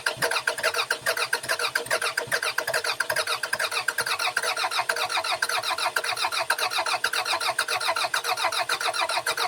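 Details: 2002 Toyota Camry, sat over 5 years, cranking with starting fluid sprayed in the intake: starter spins the engine steadily for ten seconds at 200–300 rpm, never fires; no spark because the coil pack wiring harness was cut.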